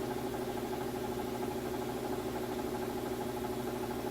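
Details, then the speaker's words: Maytag top-load washer in its final fastest spin with the drain off: steady, even hum at constant speed with no thumping or banging, smooth operation. Normal washer spin. "And here it is spinning at its fastest without the drain going. It sounds great."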